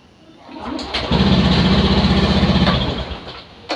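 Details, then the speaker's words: Honda Beat FI scooter electric start with the right brake switch bypassed by a jumper wire, testing a suspected faulty brake switch: a short starter whirr, then an instant catch and a quick, even idle putter; the starter works. "nah ini Tinggal kita start tidak usah kita pencet kiri ya dan rem kanan juga tidak usah dipencet karena sudah kita langsungin"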